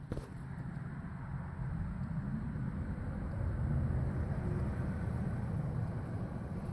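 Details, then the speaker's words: Heat pump service check, blower fan switched on with a short delay: low, even whoosh holding steady, no rubbing or rattle; normal blower operation. "right. You can hear the fan right there running."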